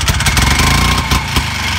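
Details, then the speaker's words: Harley golf cart two-stroke engine, after fitting a small turbo muffler for a quieter exhaust: low, muffled, fairly even idle putter with no rattles; the owner plans to adjust the fuel-oil mix ratio. "kind of a low tone to it"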